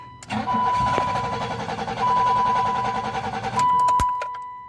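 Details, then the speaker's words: 1986 BMW 325, 2.7 straight six with electric fuel pump, first start with about a gallon of gas added: long uneven starter cranking, never fires; owner suspects slow fuel priming or lost spark. "that or we've somehow lost spark it's probably gonna take a minute to prime up if we're honest"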